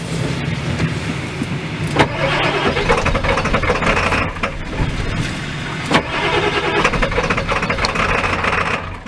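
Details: Ford F-350 XL 7.3L Powerstroke turbo diesel cold start: long labored cranking with uneven catching before stumbling into rough cold run, throttle held to keep it running; very hard starting, cause not identified.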